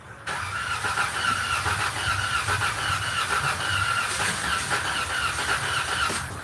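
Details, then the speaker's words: Severely overheated van with a cooked cam sensor: engine spins over at a steady cranking pace with a high squeal but never catches; crank-no-start, with signs of exhaust gases getting into the cooling system. "Now, this the one that wouldn't start. Y'all remember what would happen if I crank it over?"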